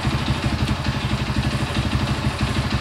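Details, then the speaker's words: Honda CB100 single, first start after reassembly and an ignition timing reset: slow, lumpy idle around three beats a second with an uneven pulse. Low, unstable idle; idle speed set too low, carburettor may need re-tuning. "Oke ini karena stasionernya Kurang tinggi ya oleh seperti itu suaranya mesinnya nih"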